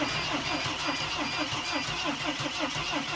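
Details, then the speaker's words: Mercedes Sprinter during no-start diagnosis, after disconnecting a control module, ignition tumbler suspected: starter cranks in even steady chugs about four a second but never fires; crank sounds slightly different than before. "so nothing's happening but the way it's starting it sounds to me like it's a little bit different than it was before"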